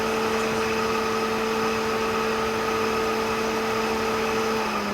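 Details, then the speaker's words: BMW electric radiator fan on an LS-swapped BMW E46, custom cooling setup: steady even motor hum, no rattle or grind; blew rather than pulling as expected, and on retry is blowing; running normally. "Okay, so it blows. Interesting. Thought it would pull, so push. Try it again. Okay, now it's blowing."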